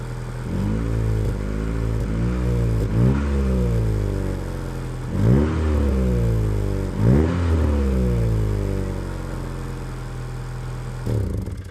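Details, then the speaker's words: Honda Integra DC2 B18 petrol engine first start in over 6 years, new plugs and fuel filter: idling and blipped with raw, puffing exhaust note; exhaust leak, no fuel leaks. "no leak spill you can hear the exhaust leak but no fuel leaks"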